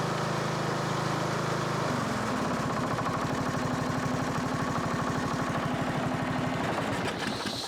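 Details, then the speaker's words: Sabre 1438 riding mower made by John Deere, single-cylinder, restarted after checkup work: drops from a high run into a loud, pulsing, rattly beat that stays noisy; owner suspects the very bad, thin engine oil, cause unconfirmed. "Still noisy, but that oil could just be really, really bad."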